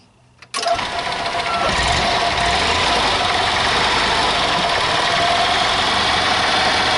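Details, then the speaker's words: 1995 EZGO Workhorse golf cart, petrol, after sitting all winter; fuel line and paper fuel filter replaced, pump primed: quiet, then engine fires at once and settles into an even, steady run with no stumbling; normal running. "it seems to be running"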